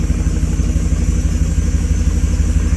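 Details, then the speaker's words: 2014 Jeep SRT8 after repair for a broken valve spring; deep steady V8 idle, even pulse, no ticking or misses, running smoothly. "seems to be running pretty smooth everything look all right no smoking no overheating nothing crazy"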